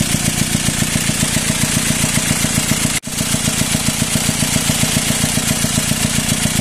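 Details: Car originally had a six-cylinder engine, now fitted with a four-cylinder; after the engine was removed and refitted, idle became rough and loud with a fast even huff from the intake side, about 220 beats a minute, over clatter. Air suspected in hoses, though hoses were replaced; cause unconfirmed.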